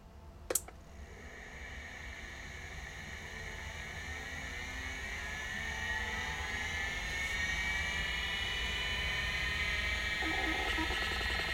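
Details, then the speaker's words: Convergent Technologies AWS hard drive, bench-powered and not connected to anything: click, then whine climbing as disk spins up with faint fluttering chatter as heads move into position; abnormal head flutter, suspected fault, cause unconfirmed. "go well that's not quite as good certainly spins but I'm not sure what that was doing that's doesn't look right to me particularly when we're not connected to anything why it was fluttering like that I think it's got a problem"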